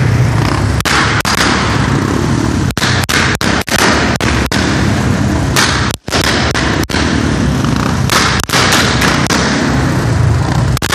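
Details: Royal Enfield single under throttle: uneven thumping beat with sharp pops and sudden gaps where firing drops out, an engine misfire.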